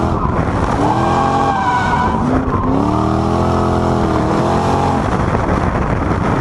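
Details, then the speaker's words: Supercharged 1UZ V8 Soarer with M90 supercharger on a 10-pound pulley, driving: loud whine rising and falling with revs; owner suspects the supercharger spins faster than it should; supercharger whine. "yeah, so as you can see from that, sounds pretty amazing. I was blown away with just how much that little supercharger whines. Yeah, it's spinning a lot faster than it probably should do, which is part of the reason for the noise, I suppose."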